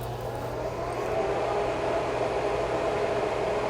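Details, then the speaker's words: Bambu H2D 3D printer at startup: steady loud fan whoosh with constant low hum that never eases off; fan runs nonstop alongside heat bed and chamber heater errors pointing to a possibly broken AC board, not confirmed. "And that fan just runs non-stop. It's loud enough that it really irritates me."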